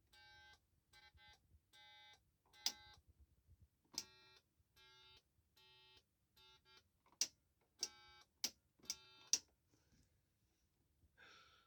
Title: Piezo Buzzer sound on indication